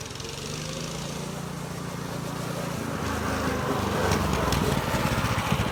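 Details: Baja minibike small single-cylinder engine after carb cleaning, fresh gas, choke on: steady buzz picking up revs smoothly, no knocks or rattles, doesn't bog, clutch works; fuel issue still pending; normal running.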